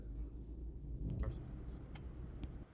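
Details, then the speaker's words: 2004 BMW 7 Series 3600cc petrol V8 restarted after replacing ignition coils on cylinders 4 and 7 that caused misfire: even, steady low rumble, smooth normal idle with no misfire; still slightly hard starting. "इस time गाड़ी start है और बिल्कुल सबूत है हम लोगों ने इसका फाल ट्रेस कर लिया था उस पर काम कर लिया था"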